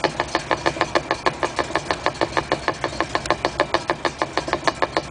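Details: 1956 Chrysler New Yorker up on stands, heard from the trunnion side and the rear axle side; sharp, even knocking about three per second, a drivetrain knock with cause not pinned down.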